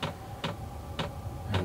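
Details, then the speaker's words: Portable diesel heater starting up inside a Clam X-500 insulated tent: soft single ticks about every half second over a low fan rumble, the fuel pump priming; the clicking fades once running, normal behaviour. "you'll hear the clicking at first but it does deaden out after it gets going here so it's just priming right"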